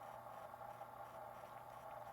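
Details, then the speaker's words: 1970 Panasonic RQ-209AS cassette recorder motor running in play after new belts: steady, even hum with constant low tone and soft whir, no wavering or scraping; normal motor. "that's exactly the one same way the one I had back in the day sounded"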